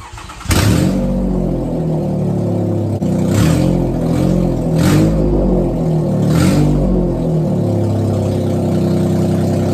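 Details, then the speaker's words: 2004 Toyota Sienna with 188k miles, during bank 1 catalytic converter replacement for P0420, run with the cat removed and the number two exhaust disconnected: fires into a deep, loud, open roar that swells with each throttle blip. "so this is what the sienna sounds like without your cat installed and we've got the exhaust disconnected for the number two side so let her rip"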